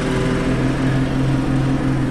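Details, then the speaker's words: Old Chevy V8 found behind a barn, first start after fitting a starter, running on a bottle of gas: smooth, quiet, even idle with a steady low throb, no misses, ticks or knocks; normal idle. "running all by itself already wow that's a sweet sounding motor look how quiet it is"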